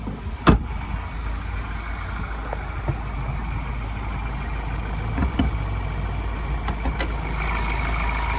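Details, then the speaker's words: 2020 Ford Everest Titanium diesel with full service history, idling, heard under the open bonnet: steady, even low diesel clatter with a few handling clicks, no knocks, rattles or squeals; healthy. "And as we listen to it run, no major knocks, rattles or squeals. It's a diesel motor tipping over nicely."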